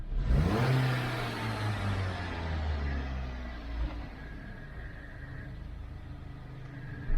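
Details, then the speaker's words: 2012 Dodge Avenger after throttle body service, previously in limp mode under 2,000 rpm with check engine and lightning-bolt lights: engine revs smoothly on throttle and settles back without hesitation, stumble or surging; engine light still on before clearing codes. "I'm going to turn it over lights out give a little gas seems like it's responding"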